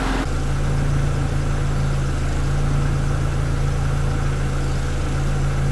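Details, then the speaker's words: EF sedan after converting a P06 automatic ECU to manual, now back on the old automatic ECU with a working fuel pump; check engine light expected for automatic lockup codes. Low, steady hum with even pulse, no knocks or misses; idles decently. "And it starts up and idles decent, so. Good deal."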